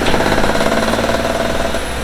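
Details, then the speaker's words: Seat Mii, hood open on a cold day while revving: loud metallic clatter over a rough engine note, busier with rpm; strange loud engine noise, cause unclear. "wir haben gerade die motorhaube aufgemacht und haben halt mal ein bisschen gas gegeben und irgendwie klappt zeit schon ordent"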